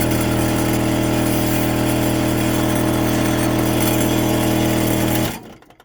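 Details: Portable battery-powered air compressor with the battery connected and the hose chuck attached: loud, steady rapid buzzing pump at an even pace for about five seconds, then a clean shut-off; pressure overshoots the target; working normally.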